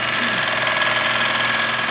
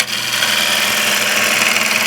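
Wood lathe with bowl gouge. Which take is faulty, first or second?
first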